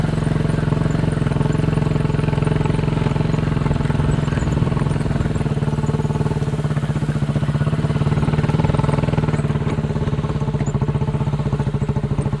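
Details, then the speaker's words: Chinese 200cc Honda-clone quad after a spark plug replacement, on a 10-minute test ride: a steady, even single-cylinder thump at constant speed with no misses or stumbles. The warm-running misfire and stalling are fixed. "Just been for a 10-minute ride around the joint and it's going all right, so I think we can call it fixed."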